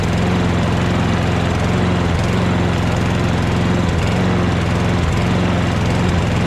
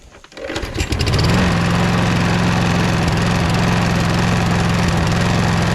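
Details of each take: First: Toro Recycler mower with Kohler XT675 engine after the loose front part was bent back, reinstalled and cushioned with silicone at the tabs; steady drone without front vibration rattle, but slight speed dips, engine still surges. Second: Toro Recycler mower with Kohler XT675 engine running; even buzzing rattle about three or four times a second over a steady run, owner suspects the loose, caved-out front bumper vibrating, not confirmed.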